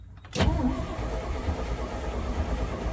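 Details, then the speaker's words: Cab-over (COE) truck after reinstalling the gas tank, cranking on a battery jumper with some gas given: steady low even churn but never fires; crank no start, owner suspects too little fuel, choke lever also sticky. "it's cranking now see if i can't give it a little gas it doesn't sound like it's doing anything"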